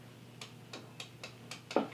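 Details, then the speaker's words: Whirlpool DU1010XTXB2 dishwasher that drains but quits after 5 minutes; door open, float check: light crisp clicks as float rides up and down, switch engages cleanly, so float ruled out as cause. "It moves up and down freely. I can hear the switch engaging, so I'm going to rule that out as a possibility."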